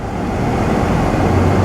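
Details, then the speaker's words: 2010 Subaru Forester EJ25 non-turbo after timing belt and water pump replacement, warmed up during coolant bleeding with heat on full, held about 3000 rpm for 30 seconds: even, smooth drone, no knocks or misses; normal. "Hold it there for about 30 seconds or so, and then drop. Let it idle for about 30 seconds or so, then bring it back up."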